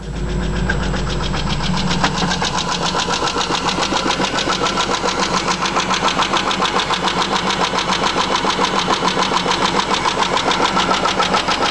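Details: Cold morning start of a Chrysler 300M V6: idles with a sharp, steady tick of about 3–4 per second. The tick isn't always present, gets louder with acceleration and fades after a few miles. The car also overheats and empties the radiator. Oil normal, no radiator bubbles, no smoke. Owner suspects lifter tick or spun bearing.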